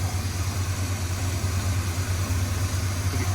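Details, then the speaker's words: Chevrolet C10 squarebody V8 idling unevenly after a short drive, with an irregular stumble roughly twice a second and a faint buzz; running choppy, suspected shorting spark plug wire or distributor timing, rough idle. "Could hear like a little bit of buzzing sound here. See, it's I think that's what was happening earlier why it started running choppy."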